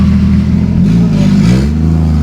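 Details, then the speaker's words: 1987 Toyota Supra with 2JZ-GE and T70 turbo, first drive after sitting two years: steady low drone rising and falling under throttle but flat; driver suspects boost leaking before reaching engine, piping to be checked; not confirmed. "Yeah, it feels like uh the boost is just leaking, too. It's not getting to the engine. You can hear it."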